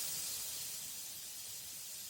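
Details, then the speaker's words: 2023 Honda Goldwing rear tire: a steady high hiss of air escaping from a nail puncture after the broken nail is pulled with pliers, ending with a brief knock, before reaming and patching. "all right you can hear the air hissing out of"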